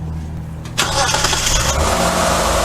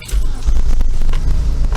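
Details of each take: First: 2000 Mitsubishi Magna TJ 3.5 L, after fixing an ignition fault (cylinder 3 dead, faulty plug lead replaced, inlet manifold refitted): fires straight up into a smooth, even, snug idle with clean blips and no miss. Normal start and idle. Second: Mitsubishi TJ Magna with an ignition fault and no stored trouble codes, idling before a cylinder balance test: deep, lumpy idle with an uneven beat and occasional stumble; one cylinder is missing, running rough.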